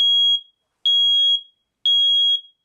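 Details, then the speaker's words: Nest Protect smoke and CO alarm press-to-test after a 10-second countdown: three loud, piercing high beeps about one per second, clean and even; normal self-test. "the alarm will sound the alarm is loud the test starts in 10 seconds"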